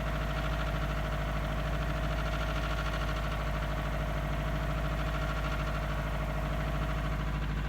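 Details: 2002 Subaru WRX with forged 2.6L STi hybrid boxer engine, cold start at roughly high thirties to forties °F: idle with a dull, hollow knock on the beat, piston slap easing as it warms.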